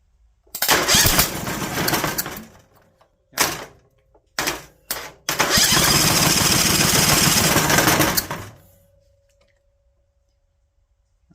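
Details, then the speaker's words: Vanguard 18hp engine found stashed, first start attempt with choke closed and no fuel line hooked up: short cranking bursts catch into a ragged run for a few seconds, then fade out. The owner suspects it is starved of fuel. "she's hungrier than I thought she was."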